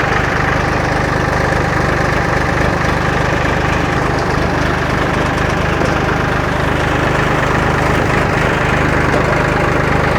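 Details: Old John Deere 820 three-cylinder diesel tractor idling in neutral just after starting with the key: steady, even idle with regular low firing pulses and no misses or knocks; it sounds healthy and has always started.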